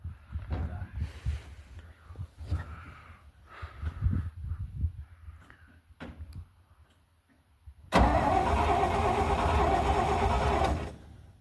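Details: 1971 Dodge A500 ex-US Air Force dump truck, reportedly with a 318 V8: the starter spins the engine freely in uneven beats of about three a second, but it never fires, so it cranks without starting.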